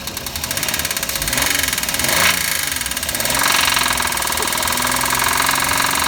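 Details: Knocking engine at idle after adding Motor Up oil additive and idling five minutes: rapid steady knock tracking engine speed; additive did not help, owner suspects a rod/main bearing (metal) failure.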